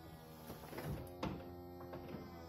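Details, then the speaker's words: BMW 1 Series E88 convertible, used purchase: folding roof opening cycle starts fine, then the hydraulic pump hums with a dull low growl, soft thunks, and the roof stops and stays blocked partway; low oil or weak pump suspected, not confirmed. "on entend déjà le bruit est assez voilà là vous entendez ça grogne le bruit est assez sourds voilà ce qui se passe elle reste comme ça elle ne continue pas elle ne va pas plus loin elle reste bloquée dans cette position"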